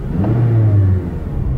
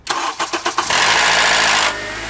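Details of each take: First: After replacing the VTC actuator for a cold-start rattle and P1009, warm and driven about 30 minutes: deep even engine note rising cleanly under acceleration with no misfires or stumbles, and no check engine light. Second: Engine with oil level full, cold start: a few starter cranks, then a harsh metallic rattle for about a second as it catches, easing into idle; a bad VTC actuator, which rattles only on startup.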